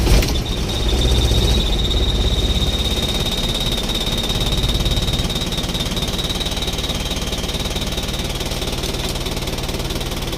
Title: DIAGNOSING DUE TO HARD STARTING